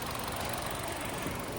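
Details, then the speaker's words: Chevrolet Trax after cylinder head work, warmed up during coolant bleeding, fan cycling automatically; steady even idle with constant fan hiss, no knocks or misses, quiet and normal. "Tahimik na dol. Ayos na. Ganda na. Uminit na yung kwan. Automatic na."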